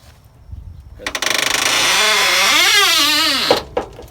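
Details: 74-year-old Greyhound bus, fuel not reaching injectors (filter canister stays full, not drawing fuel): starter churns about 220 beats a minute for a few seconds with wavering tone, engine never runs; crank no start, fuel delivery suspected.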